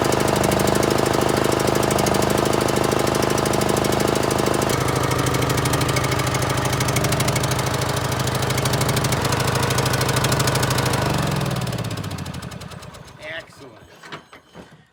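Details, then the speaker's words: John Deere L100 mower, started with starting spray and weak starter: lumpy thumping about three beats a second that sags then dies; rough running, smoke and water from exhaust, owner suspects bad old fuel. "ties are really flat and it doesn't sound right but that's tomorrow I think it's got bad fuel by the smoke and everything"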